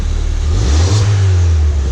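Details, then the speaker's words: Crashed Ford Fiesta ST on axle stands in third gear; short clean rev, smooth rise and fall with a faint turbo whistle heard from the exhaust; normal revving. "With the sport car, that sounds a bit better. Oh, I can hear a bit of turbo whistles from the exhaust."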